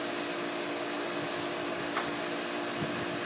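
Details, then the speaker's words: Pool heater firing after set point raised from 84 to 102 degrees, clicking and sparking then kicking in: steady even rushing roar with faint hum, no rumble, popping or flutter; burner lit, normal operation. "and it i heard it kick in yeah and so now you can feel the heat coming through"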